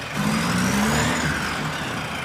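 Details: Circa-1965 VW dune buggy, air-cooled 1200 four-cylinder boxer with four-speed transaxle, after repairs for an earlier screeching grinding noise: engine running with a faint scraping squeal steady with revs; something rubbing, perhaps the fan shroud, judged ignorable.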